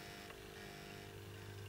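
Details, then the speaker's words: Trix Collett 5600 model locomotive, with the undercarriage and wheels removed so only the worm drives the idler gear; the small motor hums with a strained, labouring whine and no free spin-up: the idler gear is binding and tightening up. "this state don't you can hear it but it's struggling and that is tightening up so there's some water to this idle wheel to this wheel here somewhere in this chain I think there's a problem"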